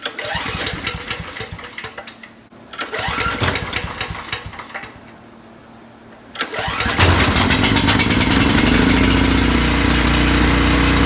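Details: Coleman Powermate 6250 generator that would not start after sitting a year, now refueled: a few rough cranking bursts, then it catches and runs steady and even with no misses or surging; a small oil leak noticed.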